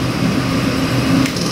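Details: Chevrolet LS3 416 ci stroker crate engine on dyno, aluminum six-bolt block, rated 550 hp: loud steady roar held at high revs, even with no knocks or stumbles; healthy run.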